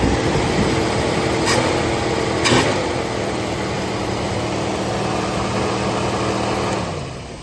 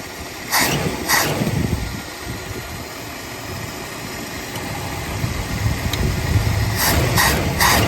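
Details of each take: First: 1980 Mercury Zephyr, first cold start after fresh carburetor rebuild: steady fairly high-pitched fast idle easing down at the end; idle-up working but set high, may need adjusting. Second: 1980 Mercury Zephyr after carburetor rebuild and bolt adjustment, warming up: steady even low rumble with no misses, a few handling thumps; running better than before, choke adjustment uncertain.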